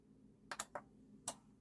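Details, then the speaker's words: Onkyo TX-NRxx07-series receiver, HDMI board repair: at power-on, a few crisp light relay clicks a fraction of a second apart, first and second click, then the speaker indicators light. This is the normal power-on relay click; a missing click indicates a faulty board. "the first click. And there's the second click. That's what you want."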